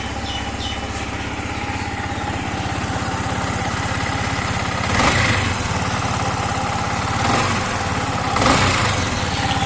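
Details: Yamaha MT15 / R15 V3 single-cylinder idle with a rough, uneven beat of about three pulses a second and brief throttle blips; abnormal engine noise, cause not pinned down.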